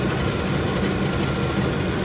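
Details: Truck V8 restarted after tightening a leaking fitting, no leaks on frame side; steady, even idle with low rumble and no ticks, misses or surges; normal idle.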